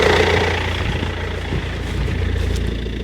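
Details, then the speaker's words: Land Rover Freelander old 4-cylinder diesel, automatic, new battery, coolant low from a leak, just started: smooth even low idle, steady rumble, little shake, no knocking or clatter, no black smoke; normal diesel idle. "Ça tourne nickel. Ça démarre au quart de tour. Ça vibre pas tant que ça pour un diesel là, il claque pas."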